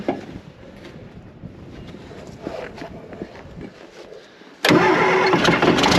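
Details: TD15C dozer diesel in freezing weather, plugged in, after starter replacement and refuelling; had seemed to run out of fuel on a hill: quiet cranking, a few weak tries, then catches hard into loud steady clatter; sound cold start.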